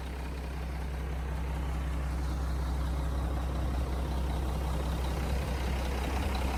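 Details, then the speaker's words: 1997 Mack RD600 diesel cement truck from auction, just started after charging dead batteries: deep even diesel rumble at a steady idle, no knocks, misses or hunting; normal idle. "Look at that. It runs. That's crazy."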